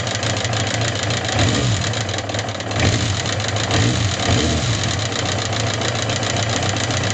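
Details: Suzuki GSX750S Katana engine at steady idle: quick, even light ticking, valvetrain-type clatter, began the day after hard revving. Rocker arms, camshaft and cam chain parts replaced, tappet clearance set 0.07–0.15 mm, no change; cause unknown for over 20 years.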